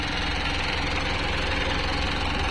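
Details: Mitsubishi 4M51 diesel that had hard starting and low power, after replacing the ECU box and spill valve module: it starts and holds a steady, even low-rumble idle with no knocks or misses; normal idle.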